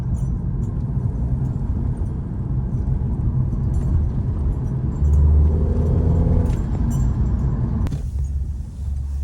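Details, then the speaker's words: 2012 Hyundai Elantra after replacing misfiring cylinder 3 ignition coil, driving: low, even engine drone, no stutter or rhythmic miss under load; all cylinders firing, running normally. "So guys, I'll go through her gears a bit here now after I clear this uh little bump there and show you that she's running really good. Really nice. All cylinders firing up. Car is acting really good. No complaints."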